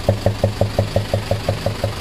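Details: 14B diesel box lorry engine idling; sharp, even top-end knocks about six per second from a loose valve with excess clearance; knock appeared while carrying a load; check this before a general overhaul.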